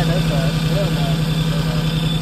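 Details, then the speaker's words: Vehicle running rough at low idle, with an uneven, pulsing beat and a stumble every few firings; a bad temperature sensor is suspected and is being replaced. Rough idle, cause not yet confirmed. "trying to figure out why this thing runs so rough runs like dog doo-doo don't run like a 24 I'll tell you that"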